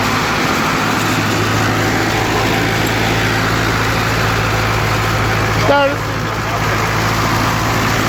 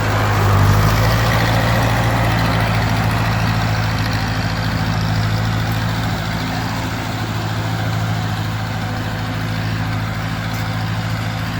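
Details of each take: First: 1942 Ford 9N tractor after work on the distributor points: starts right up and runs with a steady even hum and low drone, no misses. Normal running. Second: 1942 Ford 9N tractor after distributor points work, driving; deep steady low drone with slightly uneven beat around three per second, pulling weakly; carburettor still needs adjusting.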